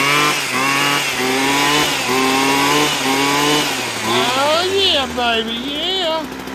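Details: Husqvarna 122HD45 hedge trimmer that only ran on choke, after carburetor and fuel line repair, running without an air filter. Crisp two-stroke buzz holds steady, then revs up and down freely without choke; normal running.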